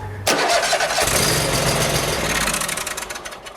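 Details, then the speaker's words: Hustler zero-turn mower after deck and spindle rebuild: brief crank, then the engine catches at once and runs evenly. The earlier loud grinding is gone; sounds much better. Normal start. "Sounded much better."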